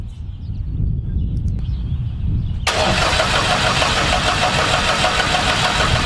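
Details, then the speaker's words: UL Power 350iS engine in a Zenith Cruzer aircraft, second run: ECU fuel pump not run long enough to fill the line from the tank, so the starter turns the prop over steadily but the engine never fires; no fuel reaching engine. "So the first time I turn over the prop, it doesn't start because there's no"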